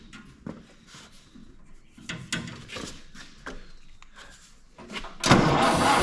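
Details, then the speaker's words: Massey Harris 30 tractor cranking and catching in the shop: uneven chuffs, then a loud rushing spray as oil left in the manifold blows out. "Holy cow. Oil. Yeah, we don't want it up there. It's got to go outside."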